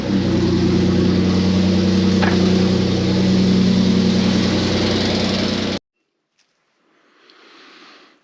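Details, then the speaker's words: 3.4L Toyota V6 with a York air compressor, on second start after a replacement compressor: a steady droning belt whir, then abrupt cutoff. Swapping the idler pulley didn't help; compressor pulley misalignment. "All right, as you may have just noticed, uh, second start didn't go very well. I thought I had a bad idler pulley. Uh, so I changed it with the one off my other truck. Uh, still didn't fix it, and then the belt came apart. So, ultimately, I have a small alignment problem with the compressor."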